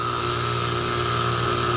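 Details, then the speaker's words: R410A HVAC compressor judged bad before replacement, with suction 181 psi (suspiciously high), head 298, and about 7 A draw. It gives a steady hum, hissy whoosh and thin high tone, running but not pumping; a wrong diagnosis is possibly involved. "Listen to the sound of this bad compressor. We're about to replace it."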